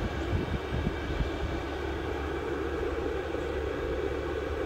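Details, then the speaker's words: VEVOR 8kW 12V all-in-one diesel air heater, bench-run outside on an old battery with cover off, exhaust around 300°F then cooling: even, steady rush of air with a soft low hum, no ticking or surging; quiet normal running. "and quiet it just sounds like air blowing still letting that fall"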